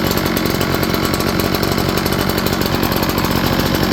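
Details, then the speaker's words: Echo PB8010T backpack blower after replacing the ethanol-corroded carburetor: steady, even two-stroke buzz with no stumbling or surging; previously wouldn't crank, now running clean. "thank you as you can see before it wouldn't even crank"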